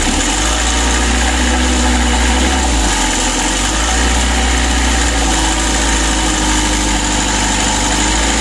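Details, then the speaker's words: Mitsubishi L300 diesel idling too low, shaking and running very rough with a heavy lumpy knock and snoring sound; the idle is too low from fuel starvation, and the fix involves the fuel filter. "begitu Lor untuk permasalahan pertama mesinnya goyang seperti ini lalu yang kedua Suaranya sangat kasar bertelur suaranya ada ngorok"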